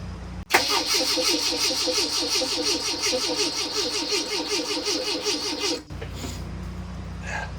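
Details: 1981 Fiat X1/9 revived after long disassembly, converted from EFI to dual Weber carbs; even cranking for five seconds that never catches. The fuel pump runs with pressure in the hose: crank, no start.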